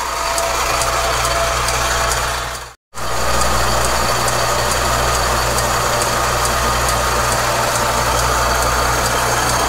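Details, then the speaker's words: South Bend lathe with an old flat belt drive, turning a welded Farmall Super M clutch shaft in a steady rest: light, regular tick about twice a second over a steady hum as the belt lacing passes the pulley; normal. "there's just something about the tick of an old flat belt driven tool i love it you hear that lacing coming around tick tick tick tick just sounds"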